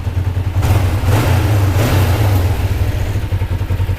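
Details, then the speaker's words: 2005 Kawasaki Ninja 500R twin, revived after sitting 10 years, idling after a long first ride; low, throaty, steady pulse with no knocks or misfires, sounds healthy. "That's how it sounds after my long ride. Beautiful. Sounds beautiful."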